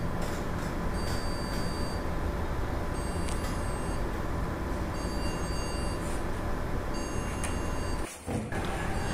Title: Continuous Beep Sound from CPU and No Display on Monitor